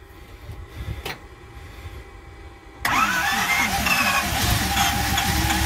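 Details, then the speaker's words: 1969 Ford C700 truck, 330ci V8, cold start after nearly nine months sitting, after fixing poor cables: brief crank, catches, revs cleanly and settles into an even run, wobbling air compressor building pressure: normal cold start. "oh there you have it she's running that wobble air compressor building up the air once the air pressure gets full it'll stop making that noise"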